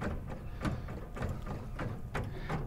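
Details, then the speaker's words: Jeep rear tailgate window whose gasket and window wipes are busted, cracked and dried, with the gasket partly missing, letting the glass vibrate around. Dry, uneven rattling taps about twice a second over a low rumble. Loose rear window rattle. "it's busted up it's cracked it's dried and it lets the window just kind of vibrate around"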